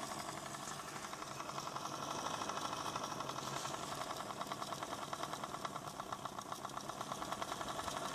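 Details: ADDA computer fan with bad bearings, running better than before but still faulty: a fast, fairly even rattling tick over a soft airy whir at constant speed. Worn fan bearings.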